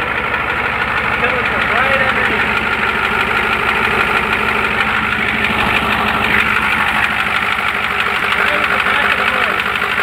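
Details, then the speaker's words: 1993 IDIT diesel swapped into a '93 truck, cranks unusually fast (owner wonders about low compression); knock about three per second appears after ~30 seconds at idle as oil pressure builds; valve covers checked, cause not found. "As it gets over the next 30 seconds or so, as it smooths out and probably gets oil pressure, starts to do that knock, knock, knock, knock, knock, knock, knock."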